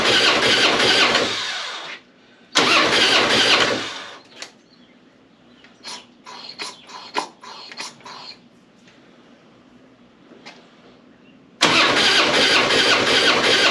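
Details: Harley-Davidson springer V-twin cranking without firing, uneven lopsided beat: decent compression on the front cylinder, zero on the rear; owner suspects bent valve, bad gasket, bent pushrod or broken piston ring, teardown pending.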